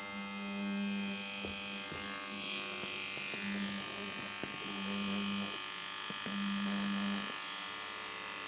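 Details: Dan Kubin Sidewinder V3R tattoo machine after inconsistency fix, at 5.8 V: low, even buzz in steady runs with consistent pitch, now sounding as it should; previously needed nearly 7 V for this sound. Normal running.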